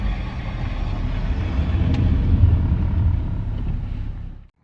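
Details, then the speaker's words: Brake growl from a front wheel of a 2006 GMC Envoy (owner believes) while rolling: deep, uneven low rumble under road noise; the back of the rotor feels warped, so the back pad is probably not compressing correctly. Suspected, not confirmed. "this is a uh i believe a 06 gmc envoy and we're having a strange noise coming from up here um taking a look it feels to me well taking a feel feels to me like the back of that rotor is warped which means the back pad is probably not uh compressing correctly"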